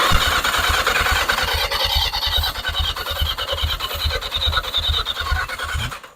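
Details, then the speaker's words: 1981 Yamaha Maxim XJ650 unused for 20 years, wiring temporarily fixed, grounds not cleaned: starter spins the engine steadily at about two beats a second but it never fires; no spark, plugs badly fouled. "yeah no spark let's pull a plug and just make sure these plugs are firing because they're pretty fouled out"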